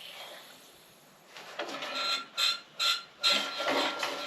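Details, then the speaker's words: Troy-Bilt 6.75 HP tiller, model 21A-644H063, after cleaning: three or four slow, effortful recoil pulls, engine barely turning. Hard pulling; owner suspects a too-long part installed contacting something inside. "she burn over hard there that's not good we shouldn't be pulling that hard"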